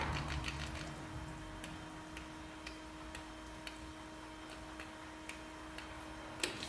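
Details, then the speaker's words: Ford 6.4 Powerstroke diesel after engine bay reassembly, key-on fuel pump cycled to prime and bleed air, much less air now; engine later won't crank: steady low electric pump hum with faint scattered ticks, engine silent. "that's a lot less air."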